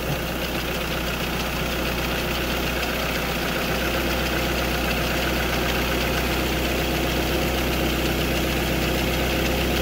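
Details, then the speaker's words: 2008 Ford Fiesta MK6 started after an oil change with 3.75 l added, checked for leaks with none at the air filter or oil filter, holds a steady, even idle with a smooth low hum and no knocks or misses; normal idle. "okay there's no leaks at the air filter at the oil filter everything is absolutely a okay so we'll let that run for a few seconds"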